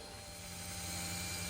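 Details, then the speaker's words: LS-swapped Snowcat with a Texas Speed 408, fuel system checked before first start: the electric fuel pump primes with a faint, steady hum and no surging. The regulator is set to 58 PSI, and the rails and injector ports are dry with no leaks. Normal fuel pump priming. "All right, guys, so as you can probably hear behind me, the fuel pump is running. And basically what I did was I just wanted to make sure that the whole fuel system was leak-free, everything pressurized."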